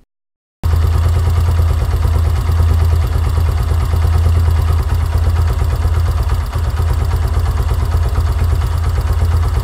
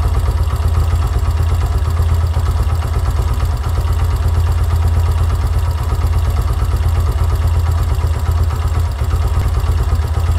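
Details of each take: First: Yamaha YBR125 at operating temperature, idle set 1300–1500 rpm: steady single-cylinder putter at even idle, no stumbles or hunting; idling smoothly. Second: Yamaha YBR125 CV carburettor with the idle mixture screw turned in to 1.5 turns from a 2.5-turn base. Slow, uneven single-cylinder idle with irregular puffs, barely running and near stalling: idle mixture too lean.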